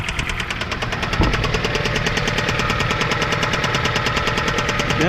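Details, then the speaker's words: 2007 Jeep Compass (possibly 2008), about 156,000 miles, jump-started for its first crank: loud, regular heavy knocking about two per second hammering through the idle. Owner suspects rod knock or a spun bearing, unconfirmed. "sounds like she has a road knock guys so i'm gonna guess this engine is pretty much garbage"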